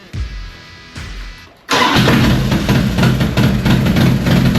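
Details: 2001 Harley FXDX Twin Cam, 26k miles, just fitted with an upgraded cam chest replacing the spring-style cam chain tensioners: brief cranking, then catches cleanly into a loud, even, lumpy V-twin idle with no knocks or misses. Normal start and idle.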